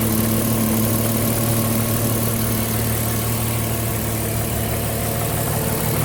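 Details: Cayenne engine at idle: constant low drone with a faint ticking rhythm about three times a second; engine noise of unclear source.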